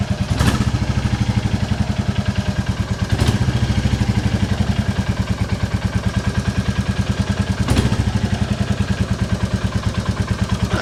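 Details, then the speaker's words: 2022 Royal Enfield Classic 350 at idle after valve clearance adjustment: even, steady single-cylinder thump with only a faint light valve tap; sounds normal, slight remaining exhaust blow to be fixed. "it sounds good even if it doesn't at least we know they're right"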